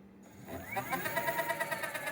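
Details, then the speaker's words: Homemade 20-inch electric scooter (BMX frame, AliExpress hub motor, 46 mm rim) with 16-inch Shinko moped tire, wheel spun on a box: rhythmic swishing rub once per turn over motor whine; tire rubbing from out-of-true tire that won't seat true. "and of course you can hear it rubbing as well that's so like I'll I'll get it not rubbing and then I'll ride it and then it'll it'll move around and end up rubbing but worse"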